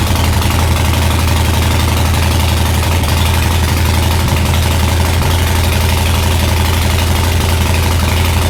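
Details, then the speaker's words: 2020 Harley-Davidson Breakout 114 rebuilt to Screamin' Eagle 117 Stage IV, first start after reassembly with fresh plugs and cleaned pipes, cold; loud deep lumpy idle at about three firings a second, steady, no knocks or rattles, normal. "We haven't cranked it over anymore since the last time that you saw it. So let's start it up and see what it sounds like."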